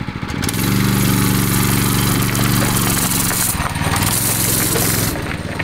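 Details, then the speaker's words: Harbor Freight Predator 212cc 6.5HP engine swapped into a 2003 Honda 919 sport bike frame, first start: the small single-cylinder thumps along at a steady, even beat with no knocks or misses, like a normal go-kart; running fine. "oh dude it sounds alright sounds like a normal go-kart what do you mean it sounds like a motorcycle man"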